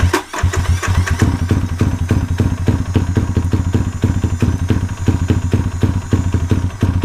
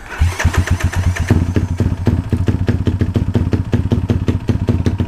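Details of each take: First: Motorcycle single-cylinder with newly fitted 34mm carburetor being dialed in to cure a cruising bog: just fired, slow uneven idle near stalling; idle speed set too low, then cranked up. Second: Motorcycle with newly fitted 34mm carburetor being tuned to cure a bog when cruising: fires up and settles into a quick, even single-cylinder thump at steady idle, no stumbling; normal idle.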